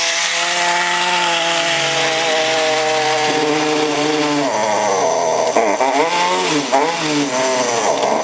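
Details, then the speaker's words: Husqvarna 329L trimmer, new and under warranty, won't stay running: small two-stroke buzz wavers, sagging and surging near idle, with the idle speed set very low. "right here is a screw supposed to turn this to adjust the idle speed and idle speed is very very low so I've got to turn it up"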